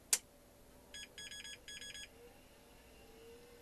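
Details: 1986 GRiDCase 1520 rugged 286 laptop at power-on: a thump, then high beeps in a 1-3-3 pattern, the startup code for bad RAM per the service manual.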